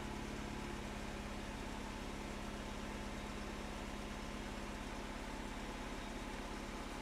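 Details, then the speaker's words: Mini Cooper R56 petrol cold start after sensor replacement: steady, even idle with no misses, coolant near 47 degrees; previously misfired and shook when cold for first mile or two, now normal. "that sounds good to me any leaks that doesn't seem to be leaking"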